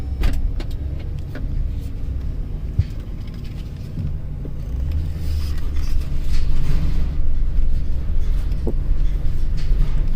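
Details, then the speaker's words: 2007 Chevrolet Express 3500 6.0L after replacing flexplate, spacer and torque converter and adding missing dowel pin: smooth low idle rumble with no knocking, only nearby rattles and handling; engine knock gone. "see look at that guys look at that no more engine"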